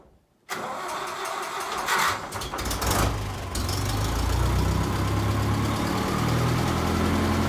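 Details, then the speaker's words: John Deere 2010 tractor after new exhaust gaskets fixed exhaust leaks: brief cranking, catches, settles into steady even diesel idle with no exhaust puffing or ticking; sounds a lot better, normal start and idle. "well hot dog that is sounding a little better I would even go as far as to say that sounds a lot better"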